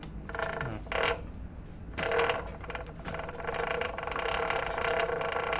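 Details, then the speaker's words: 1985 Honda ATC 70 with swapped-in Piranha 140cc 4-speed semi-automatic engine: creaky ratcheting chatter with a squeaky edge over the running drive, from the chain tensioner; noise stops once the tensioner is loosened. "so we loosened the tensioner and it looks like it just makes that noise which is really disappointing once i take the tensioner loose it doesn't make the noise anymore so it is the indeed the tensioner"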